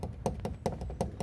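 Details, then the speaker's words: Fiat Cronos door, panel removed, rattling over bumpy roads: quick hollow knocks about five per second as the door is shaken. Loose window regulator bolts rattling. "aí esse barulho aqui é maior chato né galera vou estar apertando aqui galera esse parafusos aqui"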